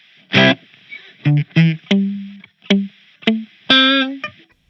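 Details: Spark Mini guitar amp, guitar direct in, recorded with a Shure SM7B, no gate, worse on some amp models like Plexi, persists after factory reset and firmware update; each plucked note brings a hissy wash that drops between notes, gate-like.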